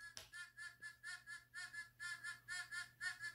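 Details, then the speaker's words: Fisher F44 metal detector air test on a beer cap, starting at 10 inches: soft thin squeak pulsing about twice a second at 10 inches, getting louder as it moves closer through 9, 8, 7 inches; faint target response at edge of range. "it's lightly squeaking at ten now we have nine eight seven now we got louder"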